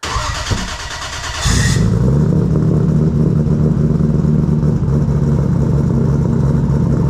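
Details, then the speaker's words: Heavily modified 1000+ hp MK4 Toyota Supra drag car (big turbo, 4-inch exhaust, ProEFI standalone ECU with base tune, after wiring fixes) cold start: short crank, then steady smooth low-burble idle with no misses once fuel pressure restored; normal start and idle. "So now we have fuel pressure. All right. Sounds nice. Oh my goodness. It sounds so good."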